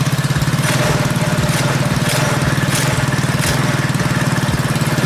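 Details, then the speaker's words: Predator 212cc engine on a KT196 go-kart after its ignition timing was advanced: a fast, even single-cylinder thump, idling noticeably higher than usual; the higher idle is attributed to the advanced timing and the idle or mixture screw can be reduced. "a little higher than it usually would be you know on Volkswagens if you advance the timing difficult the idle speed will pick up so that's why it started so easy because it had just a little throttle on"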